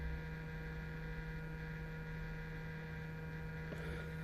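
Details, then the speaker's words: 2007 Hyundai i30 folding mirror: steady, low electric hum from the fold motor running nonstop, key on or off, while the mirror won't fold; a broken internal part was later repaired. "There's a motor going there all the time, constantly. It doesn't matter if the key is on, if the key is off, that noise is always there."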